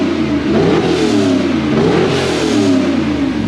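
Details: 2014 2WD Toyota Hilux with LS2 6-litre V8 swap, on certification day after an adjustment: clean V8 blips up and settles back smoothly, no rattle or tapping over the revs; sounds better, healthy.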